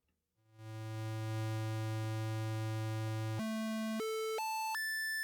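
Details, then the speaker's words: Loki DIY synth module during calibration, VCO tracking just trimmed: steady buzzy tone stepping cleanly up through octaves with stable pitch; oscillator tracking in tune. "Okay, that sounds pretty good."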